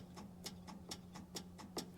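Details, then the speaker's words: 1977 Chevy Monte Carlo, battery connected, key off: quick regular clicking about four to five per second over a faint hum, a relay chattering. Power is present with the key off, suspected of keeping the fan running and draining the battery. "clicking in and out every time I give a power it shouldn't do that the key is off so I should be getting no power inside"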